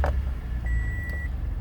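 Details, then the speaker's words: 2017 Toyota Sienna LE wheelchair van, 3.5 V6, 31,000 miles: brief crank catches first time and settles into a smooth, even low idle with a dash chime; no check engine light; normal start. "Now when I go to turn the van on, it fires that first time. Every time."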